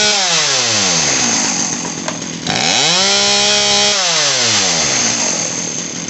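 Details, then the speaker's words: Poulan Pro PP4018 two-stroke chainsaw after carburetor, fuel line and primer bulb repair: revs climb and fall smoothly with the trigger as the mixture screw is turned counterclockwise a touch more to cure bogging. "so that screw that i was talking about is going to go counterclockwise just a little bit at a time until it doesn't bog anymore when you when you squeeze the trigger"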